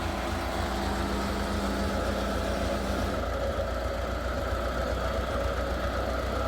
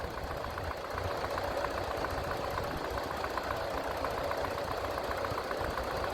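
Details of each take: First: Massey Ferguson TEA20 tractor at idle after a service: the switch clicks the solenoid and a steady starter-motor whir runs about three seconds over the idle, so the starter motor is staying engaged while the engine runs. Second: Massey Ferguson TEA20 tractor four-cylinder after service with new points, oil and oil filter change, oil pressure rising: steady, low, even idle beat with no knocks or rattles, no leaks; normal running.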